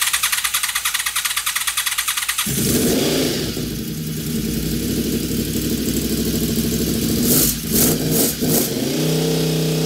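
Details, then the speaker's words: Honda VFR750 V4 after carburetor install and rebuild: cranks, catches with a burst of revs, then holds a fast even idle that never drops because the throttle is sticking slightly open. "throttle is sticking a little bit open i told you i had to stick them before it was just cracked up here but i had to bring the idle down"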